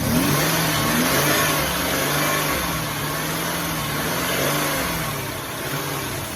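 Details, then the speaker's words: 2005 Ford Taurus after an ignition coil replacement, idle air control valve suspected: the idle jumps up and down badly, a hunting surge. The owner hears air escaping somewhere, so a leak is possible; cause unconfirmed. "yeah see how it's jumping real"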